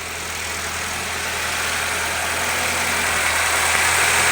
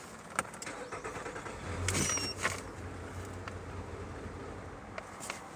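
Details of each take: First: 2014 Nissan Altima after fixing rough idle and stalling with codes P0011/P0014, caused by a stuck cam-phaser control valve pintle. Steady, even idle with no miss or knock and the check-engine light gone; runs smoothly. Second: 2014 Nissan Altima with P0011 and P0014, rough idle and stalling; starter cranks and the engine catches for about a second, then stumbles and dies, traced to stuck variable valve timing control valves.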